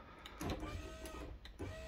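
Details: 2008 VW Polo 9N3 rear power window, motor (6Q0959812C) repaired by cleaning oxidised connectors: smooth motor whir with a couple of soft clicks as glass runs down evenly; working normally after repair.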